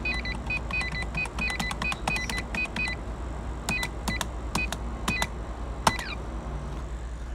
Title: Computer making faint beep sounds/bird chirping sounds